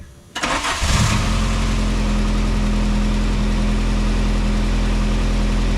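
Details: 1987 VW MK2 Jetta, just converted from 3-speed automatic to 5-speed manual, starting on the first try and settling into a steady, even idle with a smooth low hum and no knocks; running healthy.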